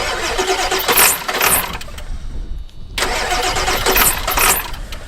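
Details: Worn high-mileage 7.3 diesel farm truck, cranking after sitting: slow starter churn with uneven compression pulses, a pause, then more cranking that never catches; turning over but not firing, owner suspects fuel.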